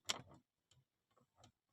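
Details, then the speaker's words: Skoda Slavia / VW Virtus dashboard trim pressed hard by hand: short dry plastic creaks and ticks at the trim joint; not the rattle itself, neither fitting nor plastic quality at fault, blamed on material choice. "इसको आप जब जोर से दबाओ दबाओगे तो यहां से आपको एक चरमरा हट सी नॉज आएगी ठीक है"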